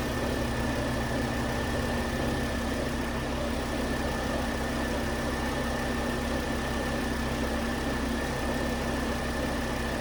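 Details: 2009 Volvo S40 T5 AWD R-Design, flood-damaged Copart rebuild, after a failed, melted alternator idler pulley was found: smooth, constant idle with a faint steady hum, no ticks or rough patches; engine sounds healthy.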